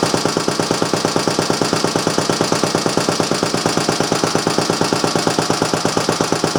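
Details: Restored Briggs & Stratton Model A single-cylinder engine, with an inline fuel filter added (no sediment bowl), clamped on the bench: sharp, even firing at about three beats a second, steady and unbroken; running cleanly.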